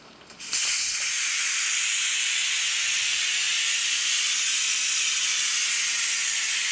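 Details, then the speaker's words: Electric pressure cooker venting after 9 minutes on high pressure cooking chicken soup: sudden loud, steady hiss of escaping steam holding constant; normal pressure release until the click signals it can open. "Okay, there's the signal that it's done. So now comes this noisy part."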